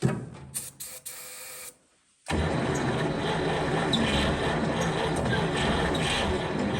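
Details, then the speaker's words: 1940 Cadillac 62 Series 346 flathead V8 barn find, first start in about 20 years at -4, no exhaust fitted. Slow cranking clicks, then it catches on ether and gas fed down the carburetor into a loud steady roar that sounds healthy. "Well, she runs. She starts, she runs, and now we got to get her running on her own fuel. So, and she sounded pretty healthy."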